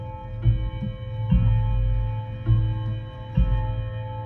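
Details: Vintage Art Deco mantel clock fitted with a standard Hermle movement: clear chime notes about every second, evenly decaying at steady pitch, other shop clocks possibly audible; healthy chime.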